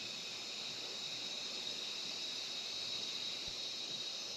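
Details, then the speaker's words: Steady high hiss of escaping air from a busted air line on a 1973 Peterbilt 352 cabover with 12V71 Detroit Diesel, engine off; the leak is too big to build much air pressure. "you can still hear it just too much of a leak to actually like make much pressure and believe me that ain't gonna be the last one"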